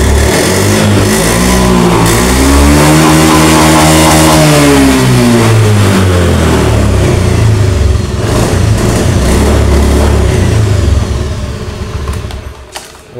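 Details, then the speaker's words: Honda Beat FI (digital) scooter with intermittent hard starting and stalling, tested with the side-stand switch bypassed: it idles, revs up smoothly and drops back without stumbling or stalling, a clean, even run with a steady idle. "Oke nyala tidak mati sekali lagi nyala tidak mati sekali lagi"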